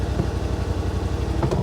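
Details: 2021 Yamaha Wolverine RMAX XTR 1000 4-seater, idling: even, steady low thrum at constant pace with no skips or knocks; engine idles smoothly and sounds right.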